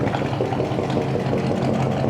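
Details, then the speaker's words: 1965 Chevy pickup V8, revived from parts: warm, even, steady low rumble at idle with no misses or stumbles, noise quieting as it runs; runs really well. "is it quieting up oh yeah it's getting quieter but you're not this thing runs it runs really good"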